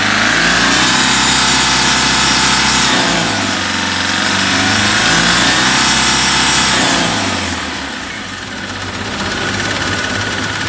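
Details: Mahindra Maxximo common-rail diesel with a DRV complaint, after injectors refitted, air bled and wiring taped: steady, even idle with regular clatter, mild rev rises in between, no misses; running properly.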